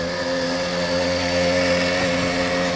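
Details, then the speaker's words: 80cc two-stroke motorized bicycle after clutch bearing regreasing and Loctite on the pressure plate nut: it buzzes up smoothly under load with an evenly climbing pitch, and the clutch does not seem to be slipping. Normal rev-up. "up speed so i don't think it's slipping it doesn't sound like it's slipping so we'll check for idle"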